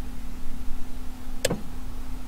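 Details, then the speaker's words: 1985 Mazda 929 (HB coupe), all-original, revived after 10 years sitting on a farm; at idle, factory electronic adjustable suspension switched from auto to soft gives one crisp relay clunk over a steady hum: normal suspension relay click. "so with the electronic adjustable suspension at the moment i've got it in auto which i gathered depending on your terrain adjusters the softness the hardest but you should hear the relay click when i go too soft"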